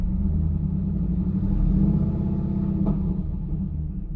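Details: LS1 V8 at idle: deep, uneven rumble stumbling roughly four times a second, an engine misfire.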